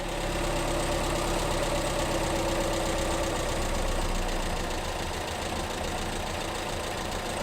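Steady loud idle with an even pulse and no distinct knocking yet, even with WD-40 in the crankcase in place of oil.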